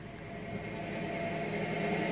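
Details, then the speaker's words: 1956 Cadillac at cold idle: a steady high whine and thin squeal at constant pitch, also present in reverse; owner suspects a transmission problem, and it is better than it used to be. Cause not confirmed. "Hear that whine right there? Just at a cold idle, it's whining."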